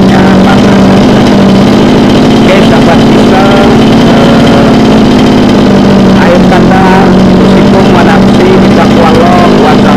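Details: Mini water-pump engine, two-stroke on premixed petrol, running after repair of a runaway-throttle fault blamed on fuel starvation. Steady speed with an even, unbroken buzz and no misses or surging; healthy run.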